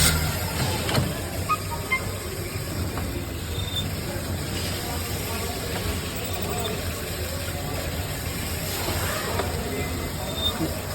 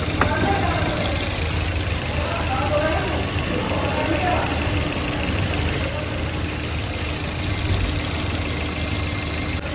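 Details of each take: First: Maruti Suzuki Baleno idling with the clutch pedal pressed: faint irregular high chirps and squeaks from the gearbox side, diagnosed as the clutch release bearing. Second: Maruti Suzuki Baleno idling steady and even after clutch release bearing replacement; the noise from the gearbox side when pressing the clutch is gone.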